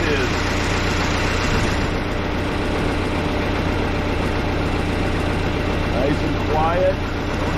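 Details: Case 188D diesel tractor engine idling at first fire-up after a 54-week rebuild, injector pump just refitted, throttle worked by hand; steady even low unbroken chug, no knocks or misses; normal idle.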